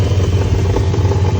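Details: 1977 Dodge Monaco 318 V8 with Lean Burn at idle: rapid, even low slap with faint chuffing, first thought to be the timing chain; found to be the exhaust crossover pipe disconnected and leaking at the muffler, to be cut, plugged and welded.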